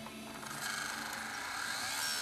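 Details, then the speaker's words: Sony DCR-TRV330 Digital8 Handycam loading a tape: thin buzzy mechanical whir climbing in pitch with no steady settle, cause unclear; abnormal tape mechanism noise. "that doesn't sound good that doesn't sound promising"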